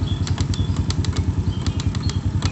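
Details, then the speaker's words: Honda Supra motorcycle at idle: soft, slightly uneven tok-tok, dull not metallic, gone when revved; hardened clutch damper rubbers (karet kampas ganda), judged harmless; top end now smooth. "Nah tuh ya benar, ini suara karet kampas ganda. Oke, untuk suara area sini udah kelar. Ini cuma area sini yang bunyi."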